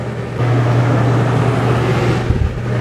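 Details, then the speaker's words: Dometic rooftop RV AC after converting from analog to digital control box and thermostat: steady loud low drone with even airy rush, no rattles or pulsing; fan running normally on high. "i'm going to flip the breaker on and we'll see what happens there's high fan"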